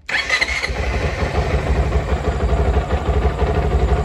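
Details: Honda CRF450RL after fuel pump repair for a no-start, fuel pump heard priming: engine catches at once and settles into a steady, even thumping idle with no misses or knocks; starts and runs fine.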